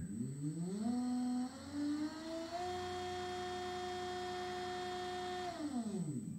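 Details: Newport Vessels 12V 36lb trolling motor on a 2022 Crescent Shoalie kayak, driven by a Hobbywing 880 ESC on a 12V 60Ah LiFePO4 battery, tested forward and reverse: electric whine rises smoothly, holds an even tone, winds down; runs smooth and healthy.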